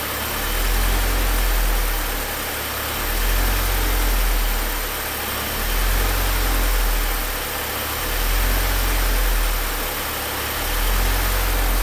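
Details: Deep, lumpy idle that swells and sags about every two and a half seconds instead of holding steady; rough idle, cause not identified.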